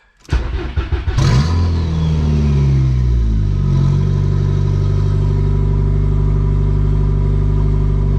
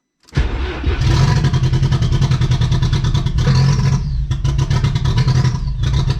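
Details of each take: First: VW Golf 3 with a 1.8T swap on a 3-inch open downpipe, after capping and tightening the vacuum leaks: fires at once and settles to a steady, even, loud deep idle with no stumble or hiss, running healthy. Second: VW Golf 3 with a 1.8T swap that hadn't run in months, first start: it catches, then idles poppy, smoky and uneven with revs hunting up and down, traced to an unplugged vacuum hose.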